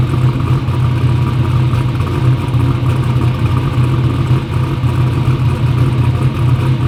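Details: "Black Sheep" V8 race car runs a loud, steady, deep, even rumble with no misses or knocks; runs good after injectors fixed EGT problems, front and rear seal oil leaks still pending.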